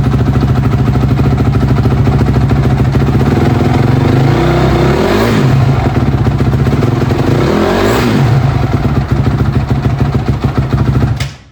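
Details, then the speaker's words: Honda CRF250R after carburetor cleaning and fixing incorrect timing, the real fault: an even single-cylinder idle with two quick throttle blips that rise and drop back cleanly, no knock or misfire; sounds healthy. "Oh yeah, she sounds pretty good. She actually sounds healthy, which is awesome."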